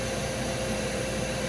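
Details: Home furnace with a pressure switch 3-blink fault, after the fix: strong even inducer motor whir, louder than before, steady tone, no strain, just before burners ignite; healthy draft motor.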